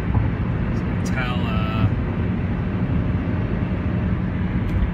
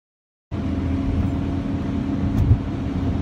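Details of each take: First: 1997 Honda Civic (D16Y7 engine) driving after replacing the failed driver-side rear wheel bearing and hub; steady, even road rumble with no hum or growl, no pitch change in turns; much quieter, bearing healthy though passenger side may also be failing. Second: 1997 Honda Civic (D16Y7 engine) while driving: steady low droning hum under road rumble from a failing rear driver's-side wheel bearing; owner suspects the passenger-side rear bearing is also failing, less severely.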